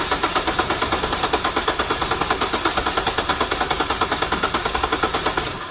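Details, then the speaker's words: 2009 Hyundai Sonata crank no-start with decent compression and sandblasted plugs reinstalled; it won't fire even on propane, so a mechanical or cam timing fault is suspected: even cranking about seven beats a second, never catches; exhaust cam was out of time. "i tried running it on propane and it won't fire so it's acting like a mechanical issue i wonder if there's an easy way to control or verify the cam timing is right"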